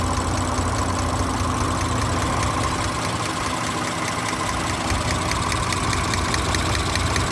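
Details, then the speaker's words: 2017 Audi S5 B9, EA839 V6, 67,000 miles, idling: sharp, light tapping over engine hum, audible on bank two, from a suspected then confirmed rocker arm failure, recurring after earlier repair. "So I can hear a quite audible tapping on bank two."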